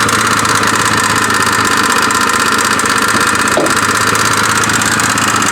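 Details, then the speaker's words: 2002 Kia Spectra, 229,000 miles: loud steady idle with uneven flutter about two to three beats a second, seemingly toward front of engine, source not yet isolated; customer fears engine damage; fluttering noise at idle. "it has a rather interesting problem of a fluttering noise i don't know if you guys can hear that noise"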